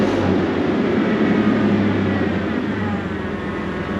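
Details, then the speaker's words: Chevy S10 4.3 Vortec running after a failed distributor was replaced: steady, even engine drone with no popping, spitting or misfire stumbles; runs smoothly, and the ignition sounds healthy. "see that my friends is a win you can hear running Smo got right the first time"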